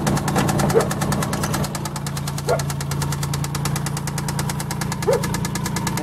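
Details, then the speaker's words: 1990 Nissan 300ZX Z32, starts right away but knocks once running: sharp even knocking about three times a second at idle, cyclic, speeding up with throttle, seeming to come from one engine area; cause still unknown. "And so as you can hear how the noise goes on in a cycle, repeatedly knocking like this."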